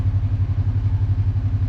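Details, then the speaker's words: 2020–2024 Kawasaki KRX after idle adjustment, brought down from high idle of about 1,700–1,800 RPM to correct: low, even thumping idle about eight pulses a second, steady with no hunting; normal idle, shifting restored. "Now we're going to go ahead and tighten it back up. Idle is right where it should be."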